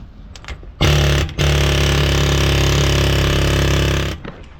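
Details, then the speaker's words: Demolition hammer chipping hardened concrete around the cutting ring of a Putzmeister concrete pump hopper: hammers fast and steady, then pounding fades and bogs down mid-run, struggling; something wrong with the hammer, cause unclear. "I hear the big boy hammer's having some problems. Something's definitely up with this thing."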